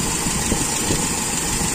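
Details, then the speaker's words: Toyota Kijang with Aisan carburettor after disassembly, idle while turning the adjustment screw to about 5 (from 3 turns): steady, even idle with no misses or surges; setting judged slightly lean but normal, not sensitive, okay. "settingannya ini termasuk agak miskin ya teman-teman dan Masih normal tidak sensitif menurut saya ini oke"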